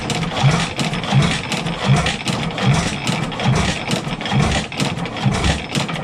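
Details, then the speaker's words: Stickney 7HP stationary engine after decades sitting, mains reshimmed: slow uneven thumps about eighty a minute with a light extra knock from the connecting rod; likely needs a shim pulled, timing also slightly off. "you can hear it just making a little bit of knocking in the rod so I wouldn't be surprised if we got to pull a shim"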